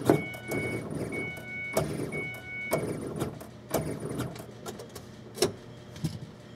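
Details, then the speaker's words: Ford Escape with stalling problem after fuel pressure sensor replaced, microphone by the fuel pump at key-on: sharp clicks about once a second over a faint hum instead of smooth priming; bad fuel pump control driver suspected, unconfirmed. "n you turn the ignition on in this thing, you can hear the pump kind of click on and it's like really tight."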